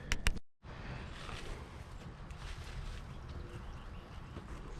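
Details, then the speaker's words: 1972 Chevy C10 crate 350 V8 first start after sitting 8+ years: low, even idle rumble with no knocking, ticking or lifter noise; sounds healthy with a mild cam, plug wires arcing off the HEI. "pretty cool guys I am super impressed this motor this sounds pretty good I think we got a little bump stick in it"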